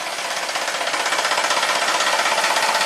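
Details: 2017 Jeep Rubicon (P0390, P0394), bank 2, suspected low oil pressure at the head; it would not phase at idle until revved slightly: a fast, sharp metallic rattle pulsing about four times a second. VVT cam phaser rattle from low oil pressure.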